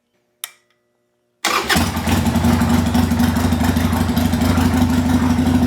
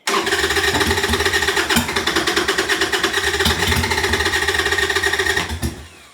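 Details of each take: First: 1998 Harley-Davidson Sportster that sat over a year, fitted with a new Kemimoto lithium battery, tank drained, fuel filter cleaned, fresh gas: it fires almost instantly and settles into a steady, even, lumpy V-twin idle with no misses. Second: 1998 Harley-Davidson Sportster sat over a year, new Kemimoto lithium battery, old gas and bad fuel filter, possibly flooded: steady starter cranking with a few ragged catches that never settle into a run; cranks but will not start.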